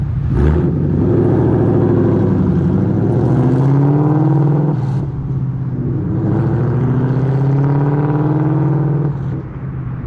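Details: Ford Mustang with Coyote V8 after new exhaust and Y-pipe install fixing a months-long rattle (traced to a fender bolt): deep rumble rising and falling smoothly with revs, no rattles or buzzing on or off throttle; healthy exhaust.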